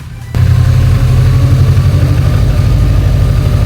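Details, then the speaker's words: Subaru WRX first start after full rebuild of knocking engine, with reconditioned turbo and homemade gaskets: catches first try, steady deep idle, even low rumble, no ticking or knock; healthy. "And she's running absolutely smooth. No ticking, no knocking, nothing."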